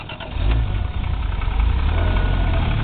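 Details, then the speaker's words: Toyota Supra 7M engine, the black car used as the healthy comparison to a similarly modified 7M with rod knock; quick crank into a deep smooth idle with no knocking. Normal startup and idle. "you don't even hear it actually so I'm going going really really close so you can hear it guys can all hear mean it's curring nice idle was off real smooth real smooth too"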